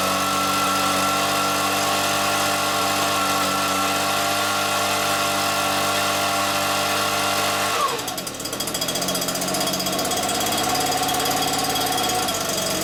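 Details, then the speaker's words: Stihl BR86c two-stroke leaf blower after engine rebuild (new crank bearings; bottom-end bearings had failed from wrong 2-stroke mix) and carburettor clean: steady high buzz, revs drop near eight seconds and settle evenly; runs normally. "Well, it definitely runs. Time to open the windows up."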